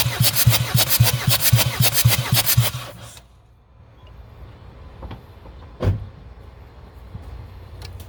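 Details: Jeep Liberty CRD diesel after top-end rebuild, glow plugs out, compression test on cylinder 4: even strong cranking beats about two per second for three seconds; reading about 325 psi, healthy.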